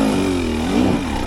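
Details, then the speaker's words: 2025 Husqvarna TE300 two-stroke TBI on stock ECU mapping, steep hill climb after revs dropped: pitch dips and wobbles, struggles to pick back up under load; bog on throttle recovery. "you're gonna see me make a mistake and I'm gonna drop my revs down. The TBI is gonna struggle to recover"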